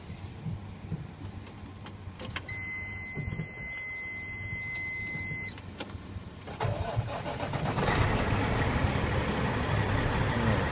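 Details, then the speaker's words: 2005 Sterling LT9513 dump truck diesel: dash chimes, then a short crank, and it catches quickly and settles into a steady, even idle. A clean, healthy start. "nicely it sounds good let's go and take a look underneath the hood"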